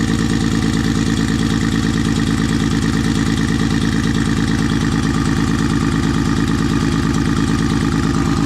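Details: Freshly rebuilt Nissan RB20 with Kelford cams and a Garrett G30 turbo, first start: a lumpy, uneven idle that stumbles about three times a second. It runs on five cylinders; pulling the injector plugs showed cylinder five not firing, from a leaking intake valve.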